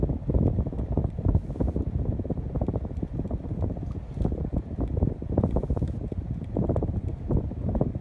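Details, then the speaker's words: 52-inch Spirit of Saturn knock-off ceiling fan, mic held close: gusty low whoosh of air buffeting the mic, no ticking or wobble; strong, even, normal airflow. "Definitely could cool down in a large room without any issue. Or move around a lot of air. But yeah, I could definitely see myself putting this in the kitchen without a doubt. And bringing in close so you can hear the air movement."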